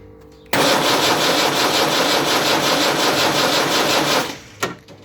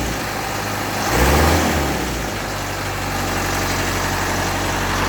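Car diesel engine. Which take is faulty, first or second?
first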